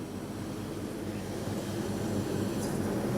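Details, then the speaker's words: Vintage Pope Dove window air conditioner regassed with R152a, drawing about 5 amps: soft rushing gurgle over a low running drone as refrigerant boils through the coil; normal flow noise, system working. "here it's boiling through everything"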